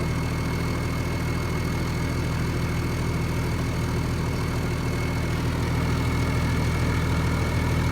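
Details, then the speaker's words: International Harvester 1255 XL six-cylinder diesel tractor after a new head gasket and valve lash adjustment that cured earlier clicking; smooth, even idle with a steady low beat and no valve ticking. Normal idle. "oh yeah listen to that absolutely running like a sewing machine when these engines so it sounds beautiful"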